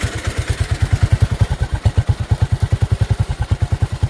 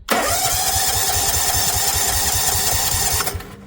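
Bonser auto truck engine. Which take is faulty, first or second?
first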